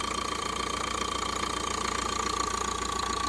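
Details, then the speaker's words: 2014 Vauxhall Vivaro 1.6 CDTI van, run briefly without coolant, with a blocked DPF code showing. Even diesel clatter at idle with a faint steady whine, described as missing slightly but sounding lovely: normal diesel idle. "chris that sounds lovely"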